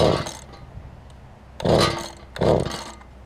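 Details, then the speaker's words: Mantis tiller two-stroke engine during carburetor low/high adjustment: short ragged bursts of firing dying between them, won't hold a steady run; now idles, which it didn't before, but still rough. "Whatever I did there didn't work very well, I know that. Got it idling. Wasn't doing that before."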